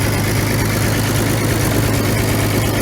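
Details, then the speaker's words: 1950s Roller revived from scrap, petrol engine running after throttle adjustment, coolant just refilled: steady, even low thump at slow idle, no knocks or misses; normal healthy idle. "we figured out the throttle situation got her tamed down a bit I cannot believe how good this thing is actually running guys"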